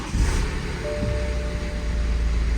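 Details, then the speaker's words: BMW N47 diesel, over 300,000 km, started after valve cover and gasket replacement and fuel system bleed: catches straight away and settles into an even, steady idle with no misfire, knock or rattle; oil burning smell in cabin resolved. "And there you go. Good as new. So, that definitely resolved the oil burning smell inside the car."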